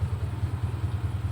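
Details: Car at idle just after starting in the morning, battery 12.6 V resting, dipping to 11.6 V when cranking, then rising: steady even low idle, no knocks or squeals; charging normally, no warning light.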